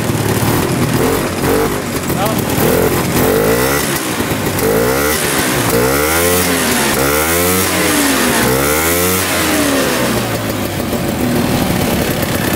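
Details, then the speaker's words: 1960s Ski Daddler snowmobile, bought as non-running, restarting after a short drive despite worn drive teeth: buzzy two-stroke revs rising and falling smoothly with throttle, picking up and dropping back cleanly; running well. "let's see if we can crank it if it starts right back up we got it running great there's moving a little bit"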